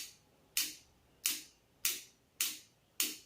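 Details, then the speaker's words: RO water purifier solenoid valve wired straight to the AC-to-DC adaptor for testing: five crisp, sharp clicks about half a second apart in a quiet room; the clicking shows the adaptor works, silence would mean a faulty adaptor. "இந்த sound கேட்கலன்னா adapter work ஆகல அப்படின்றது அர்த்தம். Sound கேட்டுச்சுனாக்கா அந்த tip டிப்னு sound வந்துச்சுன்னா அது வந்து பார்த்தீங்கன்னாக்கா அடாப்டர் ஒர்க் ஆகுது."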